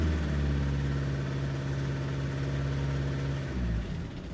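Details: Audi A3 on cold start: lumpy, uneven idle with a stumbling beat about three times a second before settling, a misfire; owner suspects fuel injectors.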